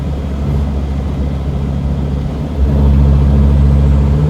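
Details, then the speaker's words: T1N Mercedes Sprinter diesel accelerating after slowing down: the engine note suddenly drops deeper and louder, then releases; owner suspects damaged turbo vanes closing on their own. "you hear that like all of a sudden a slower type of noise now it's released now it's lower type of sound and it lasts for a little bit then released"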